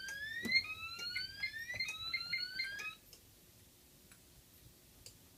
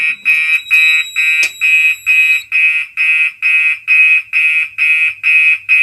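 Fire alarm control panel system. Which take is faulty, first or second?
first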